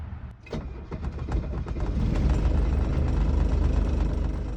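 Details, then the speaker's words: Mercedes 240D diesel pulled from a junkyard, off the road since about 2017, injectors hand-primed and glow plugs used: cranks briefly, catches, settles into an even, smooth diesel clatter idle with oil pressure. "Feed me nails and call me rusty. I was not expecting this thing to actually run that easy. And we even got oil pressure."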